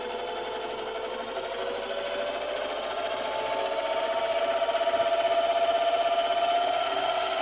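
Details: Metal Master MMD 20LV machine, almost unused since purchase, after lubrication: steady motor hum with an even tick about four times a second and slowly climbing tone; knocking/cracking in the drive.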